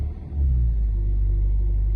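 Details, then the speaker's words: 2009 Ford Mondeo Mk4 2.0 TDCi diesel, cold: strong idle vibration disappears when revs are raised, giving a steady smooth rumble; appeared after a misfire, owner suspects the clutch/dual-mass flywheel. "зараз вона навіть оце при таких обертах все нормально цієї вібрації нема"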